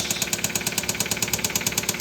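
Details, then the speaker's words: 2015 Kia Soul 1.6L, 124,000 miles, check engine light on, on battery charger: sharp, steady knock about nine times a second over idle from the lower bottom end; rod bearing and piston failure. "so that's coming from the lower bottom of the engine as you can hear"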